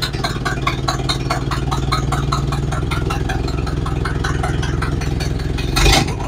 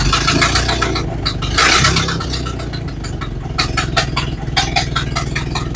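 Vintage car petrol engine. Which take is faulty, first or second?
first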